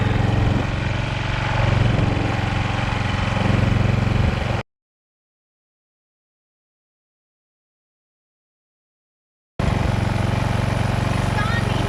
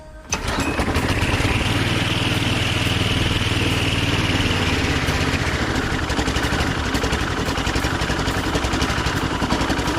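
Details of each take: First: Husqvarna walk-behind string trimmer after sitting for years, warming up after a tune-up with a new carburetor: small single-cylinder engine puttering at a steady, even idle with a regular low beat; runs normally. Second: Husqvarna walk-behind string trimmer that sat for years, after carburetor cleaning: catches and runs loud but ragged, beat wandering and stumbling; dirty carburetor with possibly remaining debris, fuel filter and re-clean planned.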